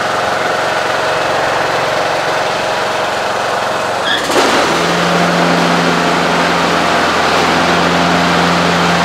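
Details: Husqvarna riding mower after replacing deck spindles ruined by worn, unbalanced blades: the engine hums steadily, then the blades engage with a smooth, even whir and steady low tone. No rattle or grinding, normal running.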